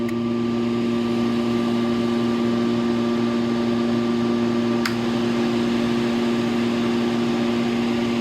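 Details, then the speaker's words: Electric fan run from a modified sine wave solar inverter runs fine but hums with a harsh, intermittent electrical buzz from the choppy modified sine output. "So, as you can see, it's doing the work. It's not having a problem firing it up, but you do hear that that intermittent buzzing sound in it."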